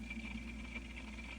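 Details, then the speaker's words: Setpower AJ30 32-quart portable car refrigerator/freezer running early morning: steady low compressor hum with a faint high squeak chirping on and off, loud enough to be heard through the house; battery pack also gets very hot. "you can hear this the squeaking throughout the house. It's early in the morning. It woke me up."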